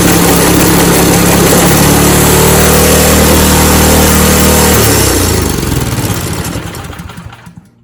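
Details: Snowblower engine after carburetor cleaning and fuel line repair. It catches and runs at a steady, even beat for about five seconds, then winds down and stops. Clean running, no knocks.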